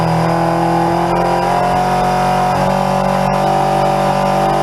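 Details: 1981 Yamaha XJ750 Seca inline-four, first run in a long time after carb work and clearing a tailpipe nest: note holds steady but dips and falters briefly as if starving for fuel, then picks up and keeps running; cause suspected, not confirmed.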